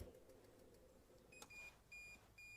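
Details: 2016 Rollerteam 746 motorhome: three short high-pitched beeps about half a second apart in a quiet cab, the fridge warning it is on 12 V with the engine off, stopping once the engine starts.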